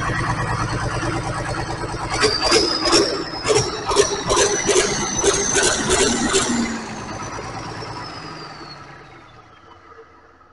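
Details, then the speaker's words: John Deere 4020 Powershift tractor repowered with a turbo 404 diesel, run with 9.5 gallons of oil and PTO not engaging: steady even diesel beat winding down smoothly with no knocks or rattles; engine sounds good, transmission needs splitting and adjusting. "shouldn't have done that. I really wanted to do it though. Man, it sounds good."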